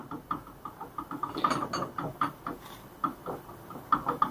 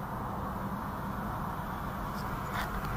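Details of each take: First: Front right shock absorber removed from a 2020 Ford Ka 1.0 sedan, worked by hand: quick light metallic clacks about four a second from rod play; the worn rod guide valve and blown seal leaked out all the oil, so it was replaced. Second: 2020 Ford Ka 1.0 sedan test drive after replacing right front shock absorber with worn rod guide: steady cabin road rumble, previous right-side suspension noise gone.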